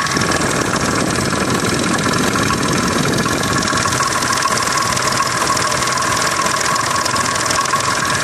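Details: Triumph Stag engine at idle: busy, dense clatter over steady idle with faint uneven tapping; owner suspects timing chains or jackshaft, not confirmed.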